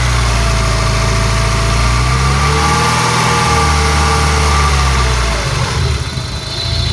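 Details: Peugeot 306 GTi-6 engine at idle: thin wavering squeal drifting up and down in pitch over a rattly low rumble; owner asks what the rattly screechy noise is, source unknown.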